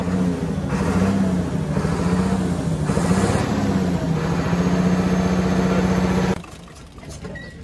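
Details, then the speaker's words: UD Nissan PKD 411 truck, NE6 six-cylinder diesel, light throttle applied: rhythmic chuk-chuk puffs from the intake side rising with the rev over diesel clatter, then cut off; intake valve leaking. "Intake का pipe खोल के यह जो आवाज आ रही है यह वाल लीक हो चुका है वाल कौन सा लीक हो गया है इंटेक का वाल लीक हो गया"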